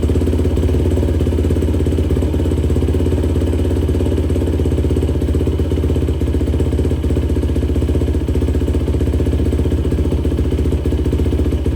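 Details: 2004 Yamaha YFZ450 quad after sitting, carburetor cleaned for a clogged pilot jet and new ignition fitted, on a freshly hooked-up battery: steady, even single-cylinder thump at settled idle, no misses or hunting; fan kicks on, not overheating. Normal running.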